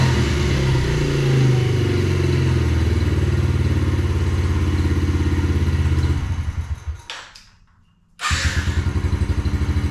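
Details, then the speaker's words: 2021 Yamaha TTR-50, not run for a couple of years: small single-cylinder thumping steady idle about three beats a second, brief dip then even; after raising idle speed screw and leaning a rich mixture, sounds good. "yeah so that seems to be pretty good it sound sounds pretty good"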